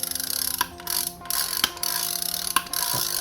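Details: Shimano Amberjack 7000 reel, old, being serviced: sharp bright ratchet chirps in short bursts as spool turns, crisp and even; drag clicker working properly.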